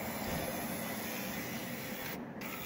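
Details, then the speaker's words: 2000 Ford Expedition power window motor that was jammed, after freeing it up; even, steady whir with no catching, clicking or straining, motor no longer getting hot; normal power window motor operation. "Feels pretty smooth. Okay, let's see if the motor's getting hot. Not like it was. So I think we can call this a fix."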